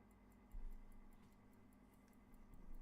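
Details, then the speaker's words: Vintage watch held right up to the mic during servicing: crisp, evenly spaced ticks, about five or six a second, steady beat with no stumbles; healthy ticking. "And if I put it right up to the mic, I have no idea if you were able to hear that or quite how the sound came out, but I hope that you could hear a very healthy ticking sound."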